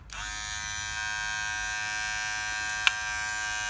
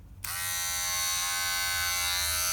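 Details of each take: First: Wahl Detailer cordless hair trimmer after replacing the blade plate that caused intense noise: starts and settles into a steady, even high buzz with one brief tick. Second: Wahl Detailer Cordless trimmer running with a harsh, high, piercing buzz caused by its worn blade plate; fixed by replacing the blade plate and greasing it.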